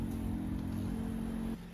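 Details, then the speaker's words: Rolls-Royce Corniche convertible that sat 14 years, ignition on with engine off, low fuel: steady low electric hum of the fuel pump for a second and a half, then it cuts off; owner thinks it's working overtime. "You can hear the pump now. Hear the pump kicking in? Yes, the pump working the fuel to the front."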